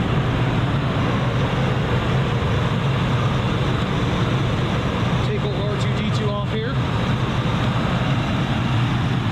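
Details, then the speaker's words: 1994 Lincoln Town Car, 4.6 liter Ford mod motor V8 (older metal intake), 158,065 miles, idling, heard from outside with traffic around; low even hum, no ticking or knocking; whisper quiet and healthy. "let's step outside and listen to that 4.6 liter she is whisper quiet despite having some miles"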